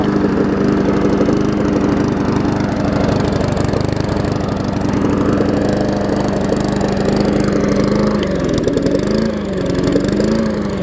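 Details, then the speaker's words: Murray mower (trade-in with a loose gas tank), first run, one-pull start: runs steadily, then speed wavers and hunts like it's starving for gas; owner expects it needs a new carb diaphragm, later replaced. "So started on the first pull. So you can hear it starting for gas, so I'll probably have to put a diaphragm"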